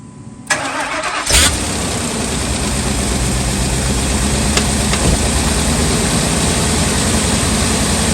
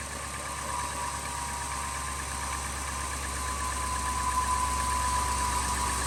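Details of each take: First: 2000 Ford F250 with 5.4 2V V8 on a cold start: it cranks and catches, then settles into an uneven, hunting idle with a loping beat; the idle air control valve is having issues, with a cleaning fix to be tried. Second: 2000 Ford F250 5.4 2V in freezing weather, restarted after IAC valve and throttle body cleaning: steady mid-pitched hum with only faint unevenness, settling into a smooth, even V8 idle; normal idle.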